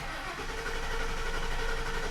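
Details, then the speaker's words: 2003 Lincoln Town Car, sat 7+ years under a cover, owner suspects a bad fuel pump: starter cranks with an even churn but the engine never catches. Crank, no start. "of course, this is a crank, no start."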